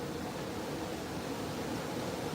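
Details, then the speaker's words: Home AC unit running after thermostat test by touching red and white thermostat wires together: a click, then a steady even airy hum with no knocks, rattles or surging; unit itself runs. "Let's see if it'll run for a minute. That actually worked."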